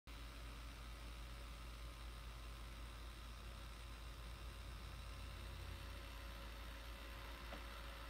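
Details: Laptop, long uncleaned: constant airy whoosh with a faint steady tone and no speed change; the cooling fan runs loud, owner suspects dust buildup in the fan, to be opened and cleaned.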